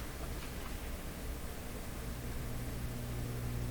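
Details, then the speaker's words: Rogers Majestic 4511 tube radio back in its cabinet at full power: a deep, constant low hum, much more pronounced than before; this disproves the owner's unbalanced-80-tube theory, and a capacitor is suspected next. "the hum is much more pronounced much much more pronounced"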